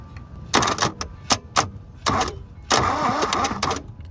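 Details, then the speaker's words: 1972 Toyota Celica, factory 18RC engine, junkyard car sitting 20+ years, starter bridged directly with jumper wires: short bursts of starter whirring with an uneven chug; engine turns over and has compression. "Oh yeah, that's a lot better connection. So we got compression."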